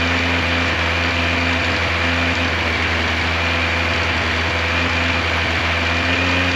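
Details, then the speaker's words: 1986 Yamaha FJ1200 first start after sitting quite a few years, gas tank removed: smooth, even hum at steady speed with no ticking, knocking or rattles; engine sounds good, held idle once fully warmed; normal running. "I am so glad that this bike fired up, that I was able to get it running. Uh, the engine sounds good. I don't hear any scary noises from the motor."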